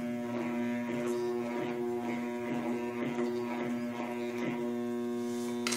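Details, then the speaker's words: Homemade microwave-transformer growler testing a brushed-motor armature: steady electrical hum, hacksaw blade doesn't jump or chatter, so no shorted coils. "esto por ejemplo está nuestra camada bueno al menos ahorita no sabe no se siente quemada se fijan no brinca abren cada segueta"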